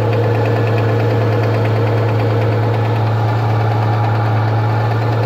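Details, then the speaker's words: Rover 75 2.5 (177 hp), cold start in the morning: loose, uneven knocking at idle, about three knocks a second, from the timing belt side, heard only when cold; the timing belt tensioner roller is suspected but unconfirmed. "вот это вот у нас стук идет получается и только идет на холодную"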